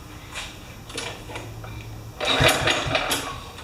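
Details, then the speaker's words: Kohler-engined Craftsman mower, being serviced with no brake fitted: a couple of quick pulls spin the engine over with dry chuffs but it never catches; crank, no start, no spark at the plug. "1, 2, 3, 4. No spark. No go. Nothing."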